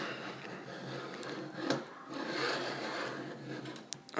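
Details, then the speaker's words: Anet A8 3D printer during assembly, bed sliding back and forth after silicone lubricant was applied: a gritty, scraping rumble; poor-quality linear bearings are suspected. "that's how bad these bearings are I think because it's not supposed to sound that way"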